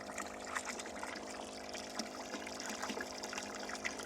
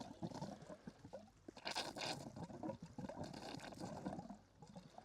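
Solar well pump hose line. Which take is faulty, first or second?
second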